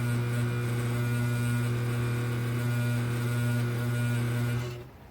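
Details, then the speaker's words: Vintage Pfaff sewing machine after a belt change caused squealing and dragging from a too-loose belt; clutch set screw and motor-mount belt-tension screw tightened. Now smooth, even motor hum, no squeal or knocking, then winds down; running properly. "I tightened up that clutch set screw and the screw on the machine that goes and holds the motor and tightens the belt, and then it started running right."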